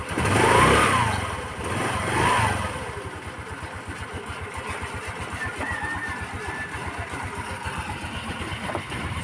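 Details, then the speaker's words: Rusi Gala 125cc scooter with the carburettor needle clip moved from position six to two: it fires after cranking, then runs with a weak, uneven beat and stalls quickly. Hard starting; owner is returning the clip to six. "so y mga guys ngayon susubukan ko i-start ko para makita niyo kung gaano ka hard starting siya kasi number two na"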